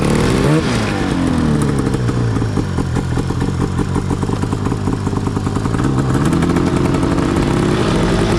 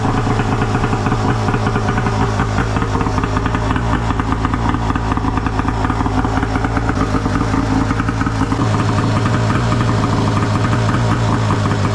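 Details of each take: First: Yamaha YFZ450 custom chassis with swapped Arctic Cat F1000cc two-stroke EFI engine, first test ride after four-year build; crackling two-stroke rasp revving up and down, flat pickup. Sluggish, groggy throttle response; owner plans to fine-tune fuel pressure, cause unconfirmed. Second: Arctic Cat F1000cc two-stroke EFI twin swapped into a Yamaha YFZ450, first start after fuel pressure cut to ~45 psi, coils swapped back, new plugs, flooded cylinders cleared; fired on one pull, quick even burble, no misfire. Normal idle.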